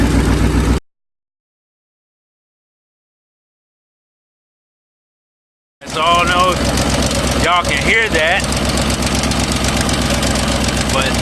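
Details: 2008 Ford Mustang GT (S197) V8: steady knock about four times a second over the rumble. This noise is why the engine is being replaced with a 75,000-mile donor motor.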